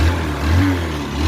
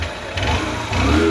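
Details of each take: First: Honda Passion motorcycle whose cylinder bore failed by 16,000 km: revs rise and fall with a rough, loose, hollow engine note, alongside heavy exhaust smoke and an abnormal engine sound. The finding is a worn cylinder bore. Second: Honda bike with 16,000 km whose engine bore failed, after engine rebuild: revs up and settles cleanly, steady single-cylinder firing with no knock, no smoke; engine now clear.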